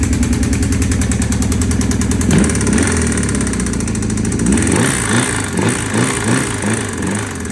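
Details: 1984 Honda CB750SC, cylinder 2: fast, hard knock at idle that follows the revs up and down, from a confirmed spun rod bearing on the crankshaft.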